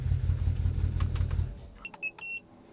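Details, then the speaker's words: BMW 335i, MSD80 DME after mosfet replacement, codes cleared, injectors not programmed: lumpy uneven rumble for about 1.5 s then dies with warning chimes; still misfiring on cylinders 4, 5, 6, cause suspected, unconfirmed. "all right let's let's try it anyways yeah it's definitely definitely still misfiring"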